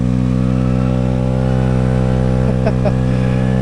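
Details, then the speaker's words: Honda NVS50 Today 50cc two-stroke scooter, after fixing vacuum fuel pump and CDI issues, starter not disengaging correctly: loud raspy but steady buzz, no misses or sputters; running sweetly, just very rowdy. "And it's obviously incredibly rowdy."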